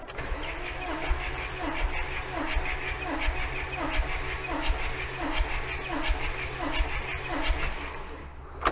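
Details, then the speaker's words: 1987 VW T3 camper with TDI diesel, cold engine, fuel cutoff solenoid disconnected, compression test on cylinder one: steady cranking with even pulses about 86 per minute, no dropouts; about 380 psi, just shy of 400, good compression. "right let's have a look and see what compression we're getting on that just shy of 400 psi so that is not bad at all"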